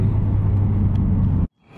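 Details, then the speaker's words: Rebuilt RB25 engine at first start after installation, not yet broken in. A deep, even rumble at steady idle with no knocks or ticks before shutdown. It is running normally. "all right so there it is RB 25 is in installed and runs great"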